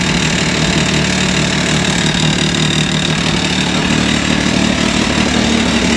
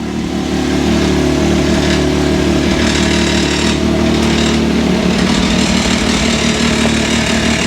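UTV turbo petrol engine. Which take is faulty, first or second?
second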